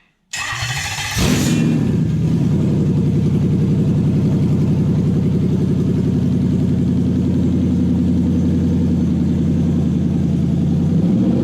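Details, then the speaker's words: Toyota 1UZ-FE V8 in a Lexus SC400/Soarer on a 40/40/40 ECU with a brand new conversion loom; after circuit tests, short crank catches fast and settles into a smooth, even V8 idle with no misses or knocks, running healthy. "And of course it runs. If you want to modify the air conditioning, not a problem, just do it. I think we'll fire it up one more time and call it a day."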